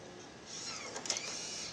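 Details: Macintosh LC III floppy drive during OS install: quiet whirring with scratchy ticks and clicks of the head stepping back and forth, repeatedly retrying reads; install disks believed shot.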